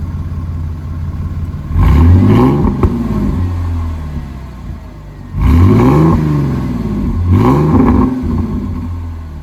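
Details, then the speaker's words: Supercharged Mercedes AMG V6 with 82mm throttle body, 550cc injectors, 175mm crank pulley, 65mm supercharger pulley, not yet tuned: two clean free-rev blips rising smoothly and settling back to idle, no stumble or knock. "Figured I'll give you guys some fuel revs. Those revs sound really good, honestly."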